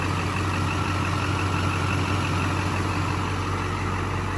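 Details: 2001 Chevy Silverado 2500HD 6.6L Duramax LB7 diesel, after replacing both crank and cam sensors and clearing codes: fires right up into a steady, even idle with a low smooth rumble and no knocks, misses or surging; healthy.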